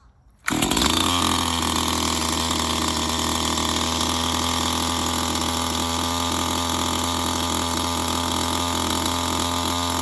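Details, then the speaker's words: STIHL MS211 chainsaw after full-choke pop, moved to half choke (warm setting): fires at once and holds a steady, even buzz with no stumbling or surging while warming up before normal mode; healthy. "And once it fires up, let it warm up on that setting till you pop it up to the normal mode."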